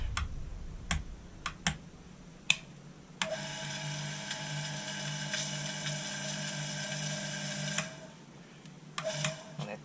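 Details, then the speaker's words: Bench grinder after stripdown and service, previously crunchy-bearing and rough: steady even motor hum with clean high whine from spin-up to shutdown, no grinding or knocking; sounds better. "At least sounds better."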